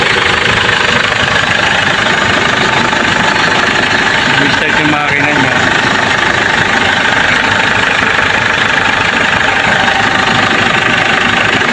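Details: Ford Everest diesel that had a no-crank fault, now started: steady, even clatter with no stumble or misses, idling smoothly; fault was the park sensor, so it only starts in neutral, not in park.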